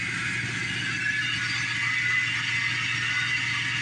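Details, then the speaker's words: Lincoln project car at idle, charging OK: thin high whirring hiss over low hum; owner suspects water pump or alternator bearing, one of the belt pulleys noisy, not yet pinpointed. "Yeah, one of these pulleys are noisy. I'm just going to have to pinpoint which one it is."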